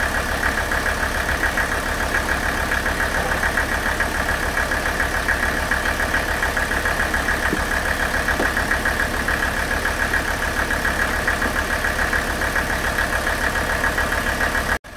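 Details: Warm Mercedes OM617 diesel running on Diesel Purge through the injection pump; smooth even idle around 140 pulses a minute, nailing noise gone and quietest it has been; normal idle.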